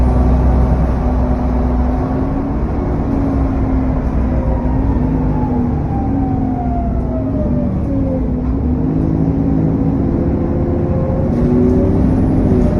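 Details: SN61 DDE E210 on a dead run back to MB, driving: steady roar with a faint high whine sliding in pitch as revs change, loud cooling fan thrash and turbo whine.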